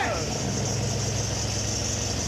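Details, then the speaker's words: Rebuilt junkyard 5.3 V8 swapped into a Jeep XJ, first start with the oil pressure sensor plugged in: steady, deep, even idle with no ticking or knocking, only a light serpentine belt hiss. Shut off quickly because charging voltage read too high. "yeah yeah yeah it sounds good just that serpentine belt"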